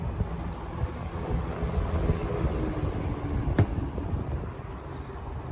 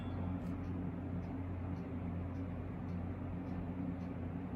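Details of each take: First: 1970s Lakewood K-Mart K-223 box fan, about 50 years old, running on high: even rush of air with soft low hum, quiet apart from air noise, no rattle or scrape; normal operation. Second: 1970s Lakewood K-Mart K-223 box fan, about 50 years old: steady motor hum with sharp metallic ticks about three times a second as a badly bent metal blade strikes the guard bar.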